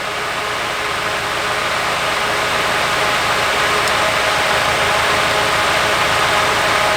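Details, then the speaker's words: Nissan 240SX S14 Kouki SR20DET idling badly, worse after a vacuum line was disturbed: faint uneven pulse three to four times a second under hiss; dead cylinder traced to a faulty fuel injector. "I don't know, but it's running way worse now. Oh shit. Alright. So it's running like ass."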